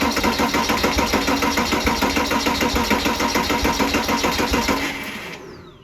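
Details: Porsche Boxster/Cayman 987 compression test: plug out, tester on rearmost cylinder, fuse pulled, battery fully charged, wide open throttle for 5-10 s. Even cranking about three pulses a second, no misses; read 272 psi, healthy compression.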